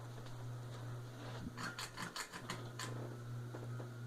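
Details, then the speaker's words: Heritage ceiling fan on high speed with the light on: a loud, steady low buzz with brief clicks and rattles midway. The owner is unsure whether the bearings are the cause. "You can see it's really buzzy."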